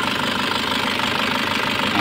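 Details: Nissan Patrol ZD30 diesel, long unused and only just revived after a no-compression condition, at idle: steady diesel idle with a light, fast rattling clatter on top; the timing chain is mildly noisy, not severe.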